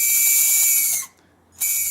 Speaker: so we're gonna spin it and just see if we're still hearing that that weird squealing grinding noise and there you go you can still hear it